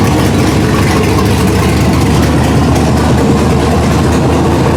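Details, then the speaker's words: 1999 Ford Ranger with LQ4 V8 and 4L80E swap, first start, engine coolant temperature sensor not yet working: the engine holds a fast, steady idle with a deep even rumble and doesn't settle to normal speed. Hanging high idle. "You'll hear the hanging idle."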